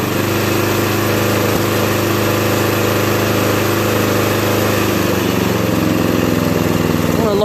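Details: 2001 Murray Select LT riding mower, after carburetor cleaning and oil change, run about three minutes to burn oil out of the muffler: small single-cylinder holds a steady, even beat at a slightly fast idle, no misses or surging, running smooth.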